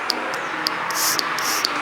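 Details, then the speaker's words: Fiat 147 brake servo being restored, blowing into its vacuum port by mouth: sharp dry "tuk tuk" clicks about every half second under a hiss of air as the non-return valve closes, blocking air into the drum; check valve works normally. "you can hear the one that makes a tuk tuk noise it is because the non-return valve closes, that is, it does not allow the air inlet to the drum"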